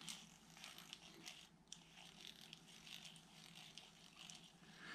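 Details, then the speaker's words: Daiwa Strikeforce 2500B spinning reel cranked by hand after disassembly, cleaning and greasing (possibly over-greased), still giving dry scratchy clicking and grinding gear noise instead of a smooth turn. "that's not the best feeling that it's still making noise"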